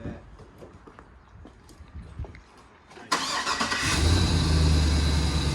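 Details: Truck engine, freshly swapped for a used low-mileage unit after a previous ticking: starts and settles into a steady, even idle, ticking gone, good oil pressure; only check-engine light is for rear O2 sensors. Normal start-up.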